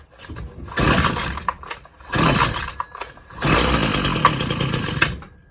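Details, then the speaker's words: Husqvarna 122LK trimmer that keeps shutting down, purge bulb full, on choke: three rough bursts of high buzzing revs easing off between them. Normal start on choke. "Sounds good so far. Give her about half choke."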